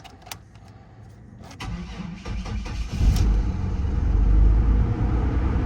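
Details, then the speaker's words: Vehicle listed as runs and drives, jump-pack started: catches after cranking clatter and settles into an uneven, lumpy low rumble; running rough with no throttle response, service engine soon light blinking, change oil light on. "Oh yeah, she's running rough. She is running rough. Change engine oil light is on. Well, not super rough."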